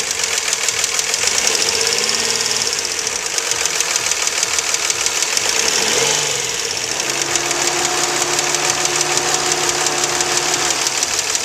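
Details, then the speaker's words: 2004 Nissan Maxima 3.5 VQ V6, warmed up after an hour, idling then lightly revved, hood open: a fast, sharp tick. Timing chains and tensioners were replaced three weeks earlier, curing a rattle. Owner suspects lifters or valves; possibly normal. "to me it sounds like it's the upper valve train whether it's the uh lifters or valve"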